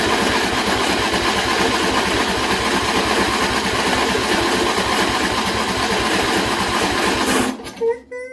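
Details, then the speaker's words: John Deere L120 mower after a carburetor replacement, choke off and a little throttle, battery run down from earlier cranking. Starter churns steadily for about seven seconds without catching; a really long crank. Hard starting. "Give it a little bit of throttle. Still a really long crank. It shouldn't take that long."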